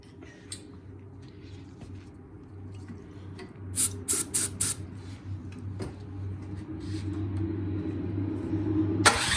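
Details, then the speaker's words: Troy-Bilt snowblower that won't start, spark checked, starting fluid sprayed into carburetor intake: quick cluster of sharp pops as it catches but won't run alone; fuel delivery fault, dirty carburetor jets with debris, cleaned afterward. "all right it's fired over so there's something definitely going on in the carburetor so we just need to pull the carburetor off clean it and put it back on"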